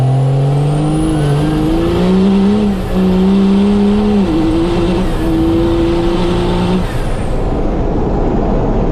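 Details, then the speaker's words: First-gen Cummins diesel truck, automatic transmission after over a year of extreme abuse, hard acceleration: loud diesel roar climbing, stepping down at each shift and climbing again; transmission temperature under 140; strong, normal pull. "That was some pretty hard ripskies, but she just takes like a freaking champ. She just sounds so mean. It's amazing."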